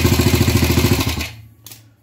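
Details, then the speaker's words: Gilera 150 Super Sport single-cylinder fitted with a Honda AX 100 carburetor, first start with basic timing, ignition plate set almost fully retarded; uneven lumpy beat that dies away within a second, lazy and flat, retarded ignition timing. "bueno por ser el primer arranque con una puesta a punto básica se siente que está atrasada pero puse la plaqueta casi totalmente atrasada"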